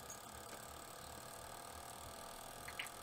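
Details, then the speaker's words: Water cooling pump at 100% speed: fast busy mechanical chatter with faint ratcheting edge over steady hum, abnormal noise. "so as you can hear it definitely started to make some weird noise and I would like to take a look inside and see if I can repair it"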